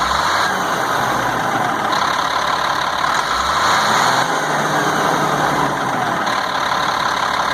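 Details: 1998 GMC C8500, Caterpillar 3116E diesel, after injector O-ring replacement, valve cover off; crisp throttle blips to 3500–4000 rpm, clean revving with no miss or flutter, settling back smoothly; engine healthy after the fix.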